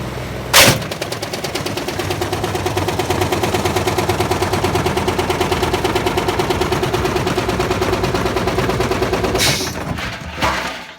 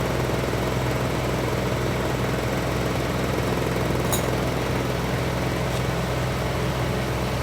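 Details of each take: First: Old motor from a Privileg 5140 washing machine, test-run on a washer PCB: rapid, relentless metallic hammering with sharp bangs at start and finish. The motor's mounting point broke off and damaged the brush. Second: Privileg 5140 washing machine drum spin test with PCB fitted, soapy water splashed on connections; steady motor hum, low drone and faint rhythmic shake, a bit of vibration but not much, normal spin.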